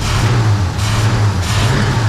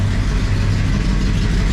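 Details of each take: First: 1966 Pontiac 2+2 with 421 V8, warm idle after freeing a stuck front carb float; choke not fully open and engine loading up. Faint chirping squeal over a lumpy beat: belt squeal from very rusty pulleys and a belt that could be tighter. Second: 1966 Pontiac Catalina 2+2 barn find with newly fitted 421 V8, first run, warmed up, about 30 psi oil pressure: deep, steady idle with an even low rumble. Runs smooth, though the owner feels a slight miss.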